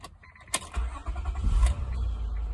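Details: 2006 Honda Accord 3.0L, high mileage, after cleaning the corroded starter solenoid signal wire and terminals: quick click, short crank, then a smooth low idle; starter engages properly. The old battery is weak and needs replacing.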